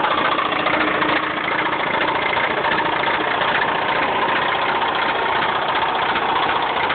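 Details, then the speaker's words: Mazda 6 at idle with a hard, metallic rod knock about three per second riding over the engine note. "This is totally what your car should not sound like."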